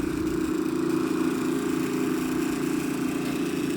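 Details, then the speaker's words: Soft wash trailer pump run during winterizing to clear water from the system so nothing freezes; steady mid-pitched drone with a light regular pulse of three or four a second, still drawing water before air comes through: normal pump running. "it's still sucking up some water. Gonna let this run for a few minutes. Make sure all that water is out."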